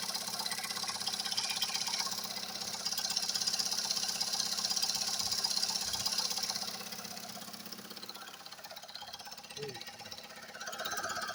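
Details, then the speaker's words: Recently repaired engine, quiet with no knocks when cold, now hot. Oil pressure high, check-engine light off, vibrations starting. A sharp, light ticking knock at about three beats a second over the warm idle; source not pinned down. "Начинаются какие-то вибрации. Так, будем искать, где что трещит. Вот, пожалуйста, стук начался."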